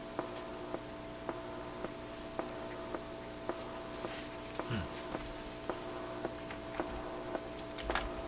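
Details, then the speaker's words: Atwater Kent 944 tube radio during alignment check plays clean steady tones with a soft tick about once a second; the earlier hum is gone after grounding a can that was picking up hum. "That sounds a little better, doesn't it? The hum is gone."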